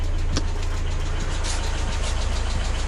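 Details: Mazda MX-5 NA Miata engine, warm, at idle before M-Flush oil flush: light regular top-end ticking about three per second; suspected hydraulic lifter tick, not confirmed.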